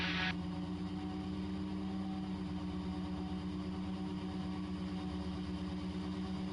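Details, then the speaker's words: Raptor prototype aircraft ground run-up on brakes at full power after prop governor kicks in, 43 PSI manifold pressure, EGT 1400–1600: steady droning roar with constant prop hum, no surging or stumbling; normal full-power run-up. "That's full power there, 43 PSI, 1400 on the EGT, 1500 and 1600."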